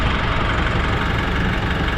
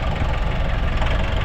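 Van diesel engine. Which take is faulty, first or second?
second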